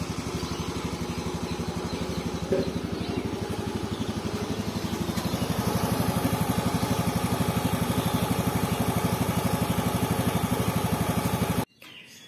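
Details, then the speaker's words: Motorcycle after piston replacement: even steady single-cylinder putter about four beats a second, firming slightly with a little throttle, no tek-tek ticking from the connecting rod; engine idles smoothly and sounds healthy. "suara mesinnya halus ya, tidak ada suara tek-tek-tek yang dikhawatirkan"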